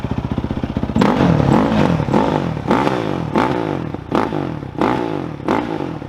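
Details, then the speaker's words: 2007 Yamaha YFZ 450 quad after installing a new Jet Lab carb to cure a popping problem: the single-cylinder engine blips cleanly from idle with crisp revs and no popping or stumble, running normally. "That's what we've been waiting for this whole time, folks. Dang, that thing runs good."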